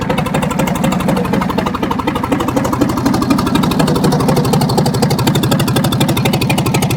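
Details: 1978 backhoe diesel, first start in years: steady clatter at about four beats a second, fairly even, with a little oil misting from the engine; shut down after a couple of minutes as a precaution.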